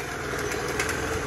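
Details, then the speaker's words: Piaggio Zip scooter before service: busy, rattly idle with rough mechanical chatter and heavy noise inside the CVT housing; noisy CVT at idle. "Nah ini kendalanya nih ada suara berat akan didalam blog type c-nya ini"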